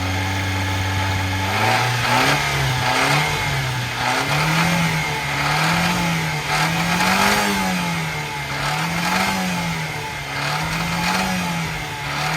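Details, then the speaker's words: Subaru Sambar rear-engine kei truck, just started, at the engine compartment: idle starts high and steady, then dips and surges in a slow hunting wave as it settles lower; idle air control valve recently replaced, cam sensor suggested but unchecked. "this looks like the new air idle control valve they put in there is also supposed to be a cam sensor some where too some people on Twitter X and Instagram mentioned to check that too according to them its a common problem on these do hear the idle starting to come down?"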